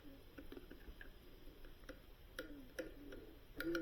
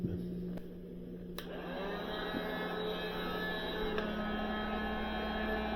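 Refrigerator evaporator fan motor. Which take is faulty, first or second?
first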